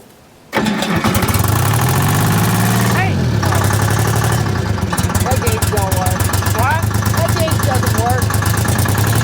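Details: Detroit Diesel 3-53 two-stroke in a Michigan 55A loader, rebuilt after 14 years seized from water: cranks briefly, catches at once and settles into a steady, even diesel clatter at idle with no knocks.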